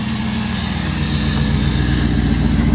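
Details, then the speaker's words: 2001 Jeep Grand Cherokee WJ, engine bored over to about 4.7 litres with new heads and a dual air filter, intake audible through hood vents: steady, low, even idle rumble with a strong hiss of intake air, no knocks or misses; healthy idle. "with that dual air filter thing it sucks air pretty good so that's pretty awesome and then you hear it even better now because it events in the hood"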